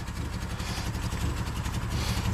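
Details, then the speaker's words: Old Subaru Outback with failing in-tank fuel pump, after first banging on the tank: uneven lumpy idle with stumbling low beats and loose clatter, gas pedal does nothing and it tries to stall, exhaust smells terrible. "Man, that exhaust smells terrible. And gas pedal doesn't do anything at this point. Is running like crap."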